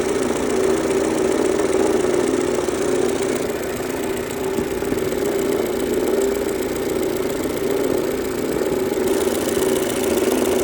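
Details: 2003 Mercedes-Benz A140 W168 idling: a loose, uneven knocking of about four per second from the front of the engine rides over the engine note. It began suddenly after the car had run well; cause unknown.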